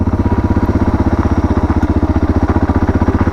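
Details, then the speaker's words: Suzuki DR650 single after carburetor and airbox mod with aftermarket exhaust, riding at 30 km/h in second gear: even, deep thumping about four beats a second, steady under light load, no misses or rattles; running great, lower note than stock. "and it's just chugging along great, sounding great. And I must say the exhaust is a lot better on my ears than the stock."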